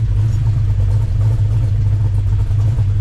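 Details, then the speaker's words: Mercury Cougar Eliminator V8 with 445 engine, just started after firing order corrected to 15426378; deep, even rumble through the revs with steady beat, only light spring rattle; healthy normal running. "transmission's full power steering's full now it's got a nice sound other than the Springs"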